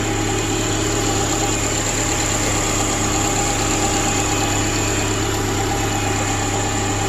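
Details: 2010 Subaru replacement engine idling after install, following brief rough running and smoke burn-off: smooth, even idle with steady low hum, no knocks or misses; engine settling in, no leaks.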